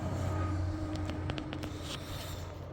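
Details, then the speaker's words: 2016 Nissan Maxima, 301,000 on the clock: very loud, deep steady rumble at idle with raw unmuffled edge, no knock; exhaust rotted out with a large hole on top of the pipe, later welded; exhaust leak. "The exhaust on this rotted out in a real real bad spot."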